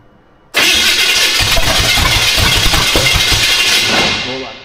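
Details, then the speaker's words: Austin's Buick, first runs: cranks, catches, runs roughly about three and a half seconds then fades and dies; owner suspects it ran out of fuel, not confirmed. "I think we need some more fuel already. That makes sense."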